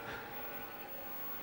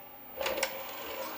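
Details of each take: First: Apple Atmark Pippin game console, nearly 30 years old, with its PRAM battery replaced, booting without a disc. A steady, loud whooshing whir with faint fixed tones runs unchanged throughout; the cooling fan is very noisy and sounds worn. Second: Atmark Pippin console, nearly 30 years old, after PRAM battery replacement: a short motor whirr and light clicks as the CD tray slides out smoothly. The tray mechanism works; the fan was noted as noisy.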